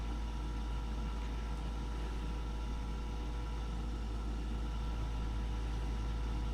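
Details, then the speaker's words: Goodman furnace after pressure switch fault repair, status light no longer blinking: burners light and run with a steady, even low rumble and faint constant hum, no roughness; normal burner operation. "Yeah, there went the burners. That's cool. Well, the burners are lit."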